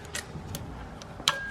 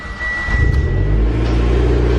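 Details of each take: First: Mitsubishi Evo X turbo, hot side, turbine wheel spun by hand. Sharp metallic ticks and a ringing ping as the wheel hits the casting, with slight shaft play. Believed to be the pinging noise heard at idle; the turbo is being replaced with a new one. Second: Mitsubishi Evo X, turbo petrol, first startup after a new turbo and manifold: catches quickly and settles into a smooth, healthy idle. The earlier ticking is gone; the power steering pump is slightly loud.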